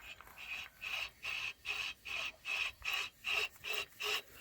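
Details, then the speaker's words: Honda CR-V 2.2 diesel: after the idler pulleys were replaced, the noise was traced to the alternator. The removed alternator, spun by hand, gives a dry gritty rasp from a rough, worn bearing. "друзі заміну провели ролики шумно пропав і все висновок що це є підшипник генератора"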